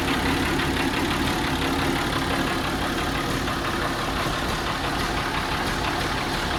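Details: Allis Chalmers D17 Series 4 tractor, started in spring after torquing head bolts and adjusting valves, where a loose tappet adjuster was locked with a lock nut: steady, even diesel-type chug at idle, no valve-train tapping, runs smoothly and healthy.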